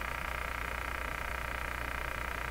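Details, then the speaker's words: Westinghouse 636 AM radio on reduced voltage, no signal, during output-stage capacitor work after soldering a wire; fast, even ticking pulse over steady hum; radio shouldn't tick, possibly bad capacitors, cause unknown. "radio should not be ticking oh my gosh really tell me soldering that wire did that again this can be from bad capacitors like this be causing this"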